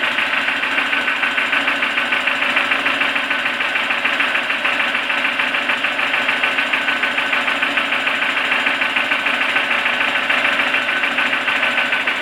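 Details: Toyota 4E-FE engine, knocking suddenly developed: even, sharp metallic knocking about three a second over a steady idle; a clear internal engine knock, source not pinned down.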